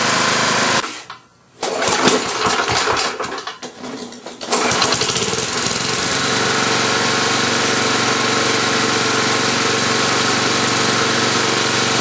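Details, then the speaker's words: Tecumseh small engine, crankcase breather pumping gray sludge and some smoke, Marvel Mystery Oil in fuel: picks up smartly from low idle to steady high hum, then quick revs taken cleanly; governor acceleration normal. "but I'm gonna do that so you can you hear how well that is it it that it accelerates and I'm also going to give it a couple quick rounds with it so you can hear"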